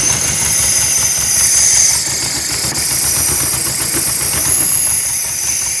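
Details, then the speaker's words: 1976 Porsche 914 VW Type 4 2.0 fuel-injected engine on test stand after 30 years in a barn: loud hiss and uneven idle lurching midway; owner suspects big vacuum leak, fuel leak also seen. "definitely sounds like a big vacuum leak and i'm seeing another fuel leak already uh we're gonna have to fix that"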